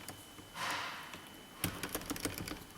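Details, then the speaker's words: 2008 GMC 2500HD: left front door switch won't control the right front passenger window; a brief whir, then quick light relay clicks with no window motor sound in the up position and no down movement; cause suspected, not confirmed. "Let's see, left front door switches. Won't control right front passenger window. I hear it clicking, but that's on the up position."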